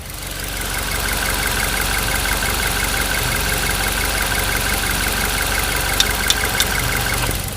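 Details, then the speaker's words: Suzuki Ertiga petrol engine at idle, heard in the engine bay: a burst of three sharp ticks repeating every few seconds; usually traced to the oil control valve (OCV) on the right side of the engine. "Nah untuk analisis mengenai Dari mana asal dari suara tersebut biasanya untuk mobil Ertiga ini baik matic maupun manual yang mengalami kasus seperti ini itu biasanya suara itu berasal dari bagian ocv yang ada di bagian sebelah kanan mesin ini ya"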